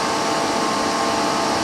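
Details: Power Mac G5 running Linux updates; loud, steady rushing roar with a constant whine near one kilohertz from fans running hard at full speed: loud cooling fans.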